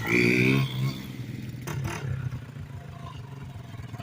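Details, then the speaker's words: 1987 Kawasaki Mojave 250 ATV after repairs (tube in tire, other tire plugged), riding: single-cylinder thump revs crisply, then settles into an even, steady beat; runs clean and healthy. "she rips good though and from the factory you can go straight from first"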